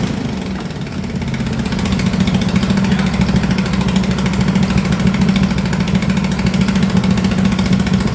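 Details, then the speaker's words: MX-1 racing/drift mower engine after first valve adjustment, new battery, new fuel pump and 34mm performance carbs: catches easily and settles into a steady even putter, no misses or rattles; runs well. "I would say it was a smashing success. It has never started that easy."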